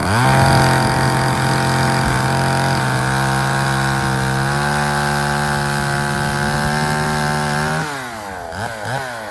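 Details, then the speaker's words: Poulan 3000 two-stroke chainsaw after service: cleaned, low-speed adjusted, fresh fuel (the old mix had too much oil). It holds a steady high buzz, then drops back and blips; it runs smooth and healthy. "so there you guys have it. So there was really no issue with it running."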